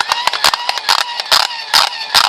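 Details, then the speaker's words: Eton hand-crank charger being cranked: harsh rasping grinding about twice a second, one with each crank turn, from the internal mechanism, likely plastic gears worn after about an hour of cranking; worse in one direction. "you hear that terrible grinding noise that's the mechanism inside must be plastic it lasted for about an hour of cranking"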